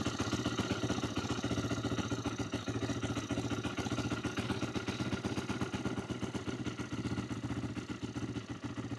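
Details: 2008 Yamaha YFZ450, a pieced-together ATV with the idle turned up: the single's idle thumps unevenly and wavers while the carburetor leaks badly: unstable idle.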